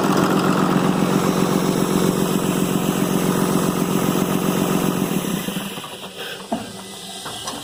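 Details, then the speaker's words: 6.7 Cummins diesel, high 200,000 miles, started for assessment before teardown: even, rapid diesel clatter at smooth idle, no ticking or stumble, then shut off; oiling well, sounds healthy. "well I got to tell you that's smooth as glass so I think that's the only problem"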